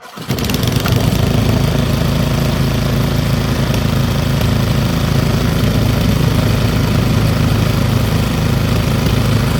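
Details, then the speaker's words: Old Briggs & Stratton single-cylinder petrol engine rescued from the trash, idle raised back up after low-idle test, warming up to almost too hot to touch; steady even beat with no misses or knocks, then shut off via kill wire — normal running. "pull the idle back up a little bit it's getting hot now though almost too hot to touch in places"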